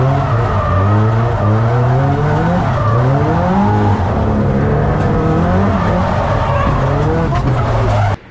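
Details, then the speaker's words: Nissan Silvia S15 drift car: engine note climbs then repeatedly sags mid-pull over tyre squeal, revs faltering; engine bogging under load, owner suspects a fuelling issue, not yet confirmed. "that my friends is a mixture of car failure if you can hear the engine pure box down we think it's got fueling entry still don't know really walk but we're gonna look into it"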